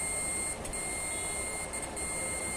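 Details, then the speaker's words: Samsung UA40K5000AR LED TV (V400HJ6-PE1), no picture; removed capacitor from beside CD20 checked on continuity gives continuous steady beep, dead short, which caused missing DC-DC IC voltages. "Short दिखा रहा है, जिसके कारण हमारे DC to DC IC के voltage miss हो रहे थे।"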